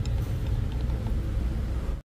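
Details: Mazda CX-5 2.0 petrol idling rough with a lumpy, uneven rumble and check engine on: P0302 cylinder 2 misfire and P2302 coil circuit. Coil and plug were tested, and a coil swap changed nothing, so the coil is not the cause.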